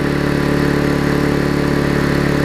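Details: Rare Vulcan 18-inch two-stroke mower, revived after freeing a flywheel rusted to the magneto and fitting a new intake pipe: steady, even, crisp buzz with no stumbling; running fine.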